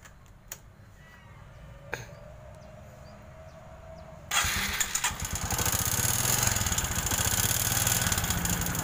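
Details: Honda Supra X 125 motorcycle with a very rough engine-noise complaint, noisier when hot: after a quiet stretch it runs with a harsh, clattery, uneven roar like a tractor or nail factory.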